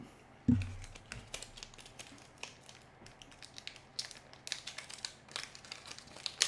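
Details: Serviced Macintosh floppy drive in an LC475: soft, irregular clicks and short ticks as it seeks and reads, no grinding or squeal; healthy after repair, though one gear part still needs proper lubrication.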